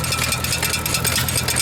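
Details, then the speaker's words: Antique stationary small engine at a steam show, running: fast, regular metallic tapping about eight per second as a part pulls in and keeps striking the governor lever; engine still runs. "Oh, that sounded funny, eh? Hitting that governor lever there. Little thing is pulling in and it's constantly hitting it."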